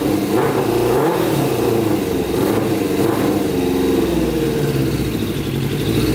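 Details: Custom Yamaha Banshee with Suzuki Katana 600cc engine, before Stage 4 rejet, pod filters on: rough uneven revving that stumbles; needs rejetting.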